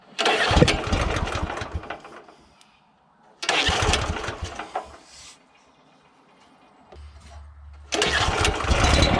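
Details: Honda GX340 petrol engine on an auger with new carburettor, fuel and spark present: three attempts, each catches, roars briefly, dies within seconds; spark plug carboned up; ran okay with governor linkage held back; cause unclear.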